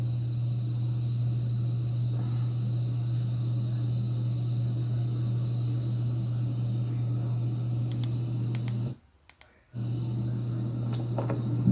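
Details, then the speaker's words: Hampton Bay Palm Beach ceiling fan recorded up close, switched from medium to high: steady low motor hum holding constant; the fans also wobble and one rattles; cause of hum not apparent. "I don't know if you guys can hear that, but it's humming, but I'm about to send it to high, I think."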